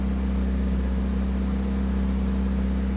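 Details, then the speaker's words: 1981 Camaro (titled as a 1982 Firebird) just started after 25 years sitting, 50 psi oil pressure, battery charging, smoky exhaust: smooth, steady drone with no misses but a high idle near 1,800 rpm after briefly settling around 800; cause unknown. "We're at sitting at like 1,800 RPM. Not too sure what that's about. Does sound really good, though."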